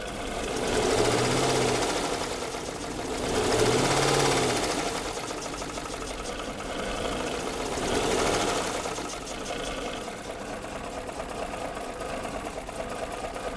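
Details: 2013 Jeep Grand Cherokee 5.7 V8, about 160,000 miles, held at about 1500 rpm: fast sewing-machine metallic clatter high in the valvetrain; top end not bottom end, suspected overheating damage, unconfirmed.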